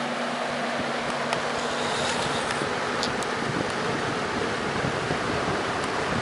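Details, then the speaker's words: Junkyard Torcan box fan on high speed, uncleaned blades with dust buildup: steady smooth airy whoosh, no ticking, rubbing or wobble; quiet, normal running though it moves little air. "You know what? This thing doesn't make very much noise, but it also doesn't move very much air either."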